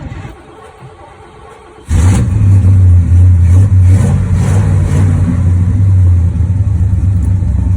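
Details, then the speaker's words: Classic muscle wagon rescued from a scrap yard: starter catches and the engine fires straight up, then settles into a strong, steady, even run with no knocks or misses; runs real good. "This thing still it runs real good, what it is."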